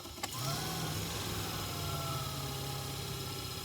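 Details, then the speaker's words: Opel Combo heater blower motor on the bench: it winds up with a rising whine, then loses speed, hums unevenly and stops, notably at fourth speed. Sparking was seen inside the motor, which was later replaced. "Адалися стопорит. Набирає скорость і вот стає."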